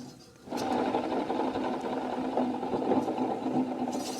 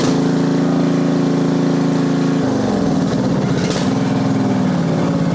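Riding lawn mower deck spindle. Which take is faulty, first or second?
first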